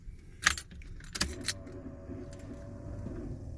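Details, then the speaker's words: Pontiac Fiero long left standing, battery charged, key on: key jingle then faint steady low hum for a couple of seconds; fuel pump priming normally before starting attempt. "Makes a nice growling noise. That's the fuel pump making that noise."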